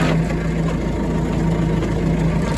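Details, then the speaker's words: Tractor driving a used Kuhn GA 4101 GTH rotary rake through the PTO: steady drone with a hum pulsing as the angle increases; driveline noise when PTO runs at an angle, cause unknown. "something weird down in the PTO when you're on an angle and sure enough it's doing it with this"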